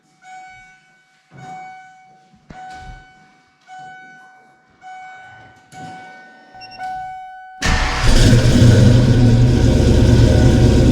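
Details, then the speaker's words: Kenne Bell 2.1L supercharged Foxbody 5.0 Mustang V8 after fixing crossed spark plug wires: several short starter bursts, then it fires and holds a loud steady run, blower spinning without clanging; normal running, faint squeal noted. "Well, that's better. Bad, folks. Blower seems to be spinning and not clanging and banging, so that makes me happy."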